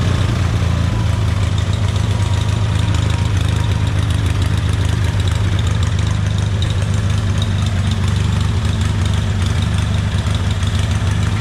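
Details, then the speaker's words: Hobart welder generator after replacing carburetor main and idle jets and gasket: steady, even low drone with no misses or knocks, smooth settled idle; engine healthy, electronic idle-up not yet tested. "we're gonna do is fire this thing up and uh listen to it run i've never heard it idle up or idle down electronically"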